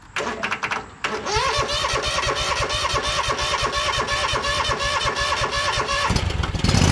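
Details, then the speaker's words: 2012 Toro Timecutter SS 5000 zero-turn mower (model 74630) after fixing the rockers and adjusting the valves, engine cover on. It catches quickly and runs steady and even on both cylinders with no misses. Normal running. "I think the engine is perfect"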